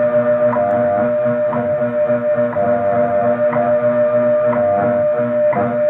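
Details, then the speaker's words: Heathkit IB-1101 being aligned against WWV: steady tones under a sharp tick once a second with a slow warbling beat, as it is detuned and then brought toward zero beat. "okay listen close i'm going to take it out of tune then get it as close as i can to beating um to to be being beated and then i'm gonna beat it"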